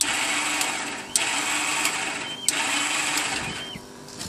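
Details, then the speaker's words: 2001 Yamaha V-Star 1100 Classic Silverado, 6,000 miles: after the fuel pump primes, the starter whirs at a high pitch in short bursts, spinning freely without engaging or turning the engine, due to a slipping starter clutch. "can hear the starter is just spinning it's not engaging to the motor"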